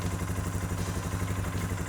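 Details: Suzuki King Quad 450 ATV during fluid service after a cooling system repair; starts right up. Low, even single-cylinder thumping idle with a steady beat and no misses, knocks or rattles: healthy idle.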